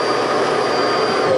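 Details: 2023 Palomino Columbus 329DV RV built-in central vacuum system, switched on at the outside hookup. A strong, steady rushing whir with an even high motor tone, no surging or rattles. The vacuum runs normally.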